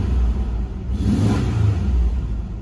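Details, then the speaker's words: 1987 Nissan 300ZX automatic, after water pump replacement and newly fitted mass airflow sensor, previously surging and bucking: engine pulls and revs cleanly with steady low rumble, no surging; now running well. "this thing actually runs pretty good so I guess this mass airf flow sensor actually works right"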